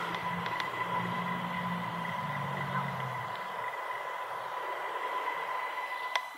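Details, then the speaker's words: Thin steady whistle at 2001 Hz with a fainter tone near 1 kHz over room hiss, recorded with the onboard mic by the open garage door. They think the door amplifies it for this mic only; source unknown. "it happens to be that my garage door somehow acts as a frequency amplifier that only this microphone picks up and it happens to be exactly 2001 Hertz"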